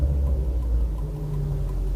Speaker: Pers like a kitten.